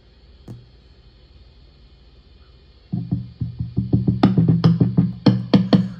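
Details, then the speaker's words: National HRO-500 HF oscillator tuning capacitor, heard on an RTL-SDR in narrowband FM with the VFO near 9 MHz. Each tap gives a ringing low thump, several a second. Finger pressure on the capacitor greatly reduces it; something on it is loose, making it microphonic and losing sync lock. "I now have pressure on this thing with my finger and I don't affect it much so the problem is yeah the damn thing's loose something's loose on"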